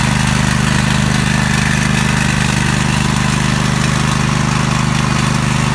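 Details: Small single-cylinder mower engine started on choke after replacing a blown head gasket: steady, even beat at constant speed with no misfire or stumbling; normal running after repair.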